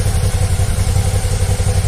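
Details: 2014 Suzuki V-Strom 650 ABS, warm, previously sounding like air leak in exhaust at idle, after shop repair: even, strong twin-cylinder beat at steady idle, no misses, popping or air-suck noises; running as it should.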